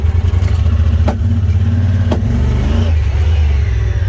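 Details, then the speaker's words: Honda Pioneer 1000 UTV, warm after driving all morning: under throttle burbling, popping, surging and stuttering, no power, top speed only ~45 mph, hanging in gears; owner presumes failed fuel pump or clogged fuel pressure regulator. "but if i try to rev it up do that burbling that popping it's like stuttering"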